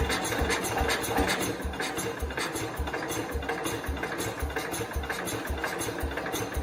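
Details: 1969 Cub Cadet 105 after engine reassembly and valve adjustment: uneven chuffs and pops, two or three a second, catching briefly but never running; better than before, cause still unknown.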